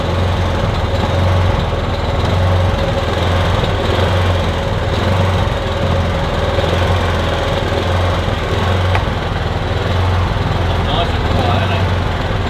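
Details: Kipor Sinemaster IG2600 digital generator, stored in a garage for years, running on choke with starting spray, cold: uneven beat with wavering surging drone and occasional stumbles; may smooth out as it warms.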